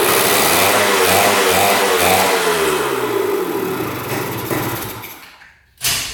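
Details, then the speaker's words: 1977 Kawasaki KE100 two-stroke, first start in over 10 years after a carb clean and fresh fuel, with good compression and spark: an uneven splutter whose revs fade and die within seconds. It runs only on choke and won't idle; the air screw is adjusted next. "doesn't want to run without the choke. Doesn't say idling."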